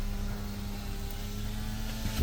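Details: 2011 Toyota Camry power window being reprogrammed after battery replacement: steady, even motor hum for about two seconds then a soft thud; the window works normally.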